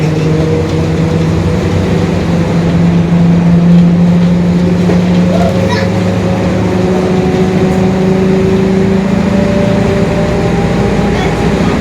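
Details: 2021 Marcopolo Torino S city bus on a Mercedes-Benz OF-1721 BlueTec 5 chassis: steady low drone under the diesel hum, a faint tone creeping upward as road speed builds; differential growl.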